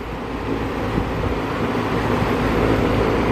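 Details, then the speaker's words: Lennox S40 variable-speed outdoor unit outside a bedroom window: low steady hum that swells slightly as compressor ramps, then holds even, no rattles or squeals; homeowner used to quiet unit, not loud to technician; normal running. "And dealing with these variable speed compressors, though, I don't know when, you know, it's going to ramp up and down, but I think the homeowner used to the unit being quiet."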